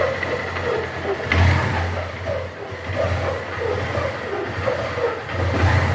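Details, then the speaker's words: Honda Titan 150 motorcycle at idle with a very loud steady humming drone, like something rubbing, over the firing beat; noise sometimes stops with clutch in and gear engaged off the stand. Teardown found a worn gearbox bearing. "Les traigo un titán que presenta un ruido en el motor es como un zumbido muy fuerte Como si algo estuviera rozando ahí"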